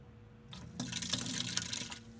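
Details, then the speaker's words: 2001 Toyota Sequoia, 217,000 miles, that sputtered and won't start: the fuel pump, fed direct 12 V from a charger, gives a short hissing, splashing whir for about a second, then stops; the pump runs intermittently and was replaced. "it's working and i can hear it pumping you might be able to hear it oh interesting huh it's not working all of a sudden this is intermittent"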